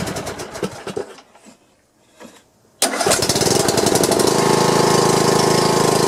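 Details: John Deere lawn tractor engine after replacing a broken push rod and adjusting valve clearance: cranks a few seconds, fires, then holds a smooth, even thump with no tapping or clatter; smoke comes from oil on the muffler. Running fine.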